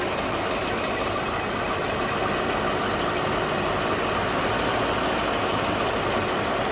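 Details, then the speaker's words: 1989 Mercedes 560SEL W126 at idle, AC compressor engaged via relay contact seven after AC repair: idle dips a little then holds a steady, even hum; owner noticed rpm drop with compressor: normal idle with AC compressor engaged. "now i'm gonna hook up the compressor which goes on to number seven now you can see how this drops down and the engine is going pretty"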